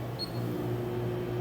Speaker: So fan, turn it on, and you'll be able to look, and I don't see it spinning. Like I said, this oven's broke. I can actually hear it humming.